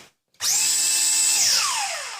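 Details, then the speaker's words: JJRC Yizhan Tarantula X6 H16 drone, good motor tested individually by tilting the drone so only the lower motor runs: clean steady high whine spinning up and winding down smoothly, unlike the failing motor that squeaks; normal motor run. "funciona bien vemos que el sonido es correcto este también el sonido sigue siendo el correcto"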